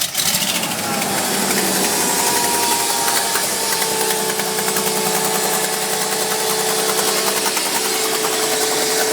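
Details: Mercedes G-Class; on every startup, cold or hot, a fast, bright metallic rattle chatters over the idle for a minute or two then goes away; source unclear.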